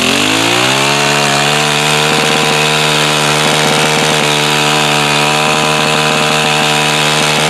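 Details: New Home Depot tiller that would not start, loose pull cord suspected from debris in the blades; small engine runs up to a high steady buzz and holds it evenly with no surging, runs fine.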